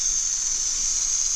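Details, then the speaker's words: N14 Cummins after cam, cam bearing and follower job, just started with pressure gauge fitted: steady sharp hiss over faint engine, something leaking; owner suspects something installed backwards; Jake brake head gasket also found curled. "oil pressure oh what's leaking there I have these backwards or something"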